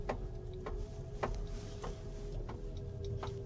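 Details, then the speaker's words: Kia EV5 GT-Line, Australian export model, driving slowly through a car park: sharp hollow taps about every half second over a quiet electric drive, like something knocking on the roof or side; a loose part is suspected. "이 소리 들리시죠? 딱 딱 딱 하면서 누가 지붕에서 차를 옆이나 위에서 뭘로 이렇게 툭툭 두드리는 거 같은 약간 그런 소리가 납니다."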